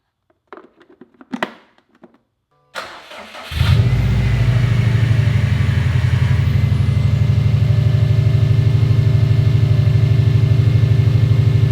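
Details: Rebuilt Subaru STI after coolant refill, once fuel was added and the fuel pump fuse reinstalled: a few silent seconds, then a brief crank, it catches and settles into a steady, even idle with no misses or knocks; normal start.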